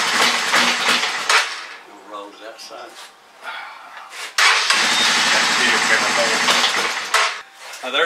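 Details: Honda Fourtrax 300 ATV that sat outdoors for years, not cranked since; first start attempt on fresh gas after priming: uneven cranking bursts that catch and fade, then irregular stumbling run. Hard starting and rough running; fuel delivery suspected.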